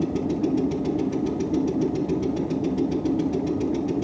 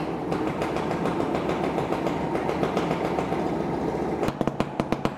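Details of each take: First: 1958 Windermere launch's Stuart Turner P5M 2-stroke single-cylinder inboard, first start with idle speed cam set for extra fuel: rapid, even pulsing about six beats a second over low rumble as it begins firing; not yet running steadily. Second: Stuart Turner P5M 2-stroke single-cylinder inboard from a 1958 Windermere launch, just revived, smoky: after a noisy start settles into crisp, fairly even popping about three beats a second; normal, healthy idle.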